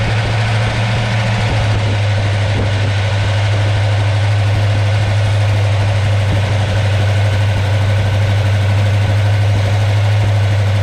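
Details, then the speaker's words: V8 with Holley 650 double pumper and newly installed fast idle solenoid, toggle switched on and throttle bumped; steady, even raised idle, stated about 1,200 rpm, no misses; solenoid working as intended. "Turn on the toggle right here. Bump the throttle. Burp it. Whatever. Now you're at uh 11,200. Nice."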